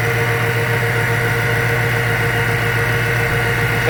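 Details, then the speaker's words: After changing the spark plugs and coil pack, the car idles steady with a smooth low hum. The owner says it still idles a little rough at times and thinks it is just relearning. Normal idle. "the car is running the way it's supposed to now um it's actually better than it's supposed to it runs a whole lot smoother still has a little rough idle at times i think it's just learning"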